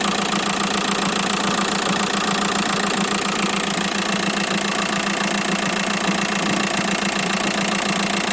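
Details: Idling engine on an inspected used car, said to be a 2006: a dull, regular knock at roughly two per second rides over the steady idle; the crankshaft pulley damper is knocking.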